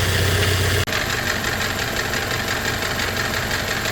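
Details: Toyota Hilux Surf / 4Runner 3rd gen after steering rack rebuild and rack guide readjusted a full turn looser: petrol engine idles evenly with no clear pump whine, earlier whine and hard steering gone.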